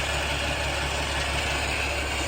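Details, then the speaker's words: Caterpillar-engined roll-off truck idling; steady diesel idle with a constant hum and hiss over it because the driver left the hydraulic pump engaged on PTO after unloading a dumpster; disengaging it reveals a separate ticking. "the driver unloaded the dumpster and then left the hydraulics in that's why it's making that noise"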